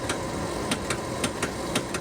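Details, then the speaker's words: 1973 Pinzgauer 712M 6x6 EV conversion, spinning driveshaft, battery with weak cell fault: sharp clicks every quarter to half second over faint hum, high voltage contactor cycling; suspected voltage spikes on unshielded untwisted CAN blowing transceivers, CAN 2 then lost. "And again, we can hear the high voltage contactor cycling, and after this test, CAN 2 also no longer communicates."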